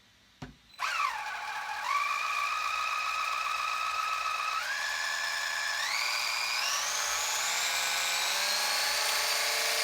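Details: RC Sweet Tooth truck build: newly installed motor with replacement gear set (old gears didn't fit or work), motor wires swapped, first bench test; clean electric whine climbing in steps with throttle, pinion meshing smoothly with spur, no grinding or crackle; normal motor and gear run.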